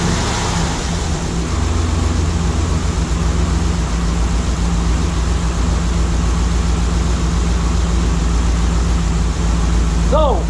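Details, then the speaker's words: New LS3 V8 in a 1955 Chevrolet Nomad on its first start after about two and a half years: loud idle with a lumpy, uneven pulse. One cylinder is not firing. "sounds like I got one of this someplace so what Maya find out which one is not hitting right now but it might just be something's not connected at HUD"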